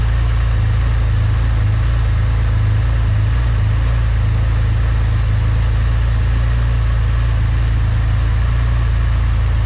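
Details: Porsche 996 Turbo flat-six biturbo on stands, after fixing an intake air leak that had caused an unstable idle: steady, even low idle with no hunting or dips; normal idle.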